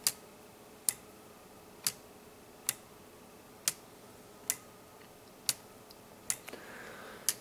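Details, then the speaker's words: Weight-driven pendulum clock under construction: crisp, bright ticks just under one a second from the escapement pushing the pendulum. Normal escapement tick-tock. "When you hear that, that ticking sound, that tick tick tick tick. That's what this is. That's what that is. It's uh just the skatement pressing on the sides of the pendulum to make it rock."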